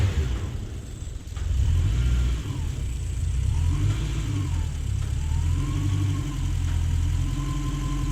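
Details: Toyota 1UZ-FE V8 just installed in a Lexus LS400 body, first start in the car: deep, even V8 burble climbing and settling smoothly through a few revs, no knocks or misses; normal running.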